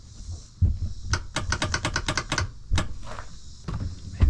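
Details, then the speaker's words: 1999 Kawasaki 900 STX jet ski after top-end piston replacement, on lead-acid battery: about ten quick dry clicks with no cranking; bad starter, engine to come back out. "I got a bad starter yeah I mean that sounds like flicking sound tells me um but the starter just seems to be uh not doing anything"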